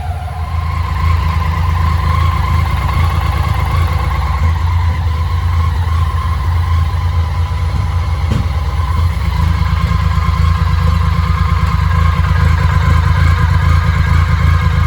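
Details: BMW K75 restored motorcycle at idle with the air flow meter unplugged: uneven, stumbling beat of about two pulses a second, running rough.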